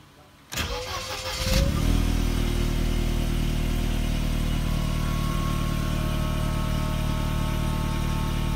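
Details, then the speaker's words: 25-year-old Mercedes-Benz W202, cold start (not started that day): brief crank, catches cleanly, settles into smooth, stable idle held slightly high while cold; healthy engine. "so there you have it the revs are a bit higher when you start the vehicle so we're at about 100 rpm but you know it's holding that so well so stable"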